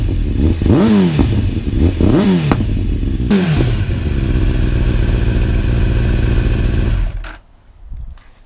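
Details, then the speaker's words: 2009 Kawasaki ZX-10R, cold start on choke after a long standstill: a few blips then a lumpy choke idle with odd pops; fuelling likely stale, needs riding. "me started a long while unchoke fuelling bit which there you could hear that popping noise needs a bit of ride hasn't really gone anywhere for a very long time"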